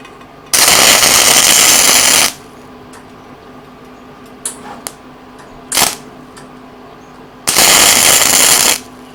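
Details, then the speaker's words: First try at gasless flux core MIG welding, tacking, with a wrong-size wire coil in the machine: two harsh crackling two-second bursts with quiet gaps, uneven spitting arc; welder suspects wire speed too low, not confirmed. "Might have to adjust my wire speed, because like I say, I'm not used to this, same as you guys."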